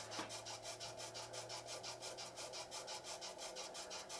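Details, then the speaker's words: Laguna DP20 drill press, new, first start at 60 rpm spindle speed: quiet regular rasping scrape about three times a second, weird sounds, something rubbing; source not found. "Huh. Not too... Those are some weird sounds."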